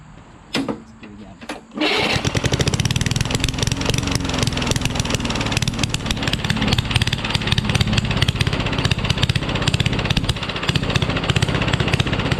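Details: Rally push mower, Tecumseh Eager 1 engine, no muffler found: starts after a couple of tries, then harsh, very loud, uneven crackling beat with ragged surging; runs badly, only starts with starting fluid, needs work.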